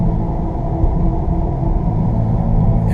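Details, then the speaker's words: 2015 Jeep Grand Cherokee WK2 driving: steady low droning growl under road rumble, seemingly driver's side front, lessening in tone when turning right to unload the left front. Suspected bad left front wheel bearing. "but if you can hear that growling it sounds like it's coming from the driver's side front and if i if i turn to the right notice how it changes tone and gets gets to be less i'll do it again here"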